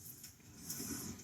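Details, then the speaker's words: 2013–2018 Ford Taurus with wheel and caliper removed: hand-spinning the hub gives a loud dry gritty grinding rasp rising and falling each turn, from a corroded wheel bearing. "now listen to this I hope you can hear it it's real loud it shouldn't sound like that"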